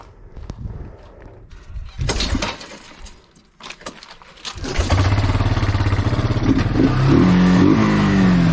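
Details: Bayou 220 ATV, sat for 8 years, on a test ride with a helmet camera; the single catches and pulls cleanly, its steady thump rising through the gears. All gears work, no bogging. Normal running.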